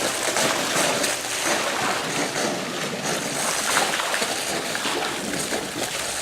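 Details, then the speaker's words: Pool solar return line (2-inch PVC) at pool opening, just after the pump was primed: rushing, shushing flow with uneven gurgling surges and no steady tone; a lot of trapped air is purging through the line. "you really hear that one gurgle huh and these just actually keeps shushing and don't don't get affected there this lower pressure until everything picks up again that's a lot of air folks"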